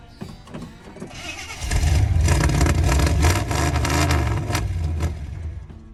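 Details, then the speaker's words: 1983 Chevy K20 frame with C10 body, V8, sat outdoors all winter in Alberta, weak battery: catches and runs lumpy, then sags toward dying; owner believes it is drawing water from the fuel tank, possibly snowmelt dripping onto the sending unit. "well I'm afraid it's doing the exact same thing it did last year I didn't uh fully diagnose why it got water in the fuel tank"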